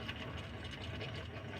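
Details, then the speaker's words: Nissan Pathfinder crank-no-start, fuel filter removed and line open, pump switched on: only a wet, bubbly gurgle and slow weak flow instead of a steady stream; failed fuel pump suspected. "I'm gonna go ahead and turn on the fuel pump right now. That took a long time. And it's still just kind of gurgling. What the heck?"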